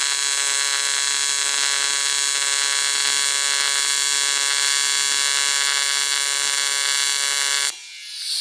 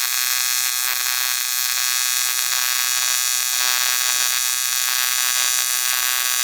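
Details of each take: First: ARCCAPTAIN 200P AC/DC TIG in AC at 140 Hz, balance 20%, amperage increased: steady even high buzz for nearly eight seconds without sputter or popping; adjustment helped, stable AC TIG arc. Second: ARCCAPTAIN 200P AC/DC TIG in AC on dirty aluminum, Scotch-Brite cleaned, 4043 filler, before balance and hertz adjustment: harsh crackling high buzz wavering unevenly instead of smooth hum; erratic arc from contaminated metal.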